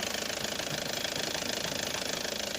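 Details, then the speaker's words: 2004 Opel Zafira diesel: fast, even rapping knock over the clatter, heard more when pressing the pedal slightly harder, not strictly periodic; owner unsure of cause. "он когда чуть сильнее нажимаешь на педаль и слышно тверскую двигателя"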